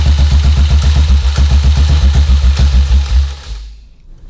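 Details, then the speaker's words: 1952 BSA M21 single-cylinder engine running: steady thumping at about four beats a second with a faint occasional click; pushrods possibly too loose, to be adjusted; inlet manifold air leak, no gaskets fitted yet. "Checking on those push rods as well to see how loose they are. We don't, because I can hear that clicking every now and again. They might be getting too loose."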